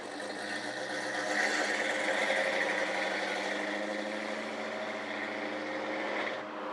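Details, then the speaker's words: 1978 Chevy pickup, after repair: engine starts right up and settles into an even, steady idle with no misses or odd noises, running beautifully and purring like a kitten; normal idle. "now you can see that once this repair was made this truck starts right up and runs beautifully"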